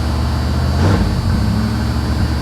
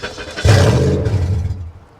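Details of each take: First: 1982 Chevy Camaro Z28 Crossfire-injection V8 (possibly 5.7, unconfirmed), salvage car, just started on a mild day: deep, steady, even rumble idling a bit high, about 1800-2100 rpm; sounds healthy. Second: 1982 Chevy Camaro Crossfire V8 at a salvage auction, started on a jump: engine catches and roars with a loud, open, boomy exhaust note; it runs great, but someone cut off and stole the catalytic converters.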